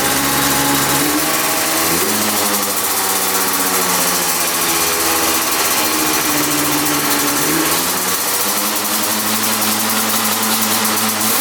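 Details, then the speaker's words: 1995 Yamaha Banshee 350 two-stroke twin, first start after 18 years in a barn, fresh 40:1 premix: fast, steady idle that never settles low. Idle set too high, idle screws about to be adjusted. "oh yeah she fired up idle was set a little high so let's uh set those idles"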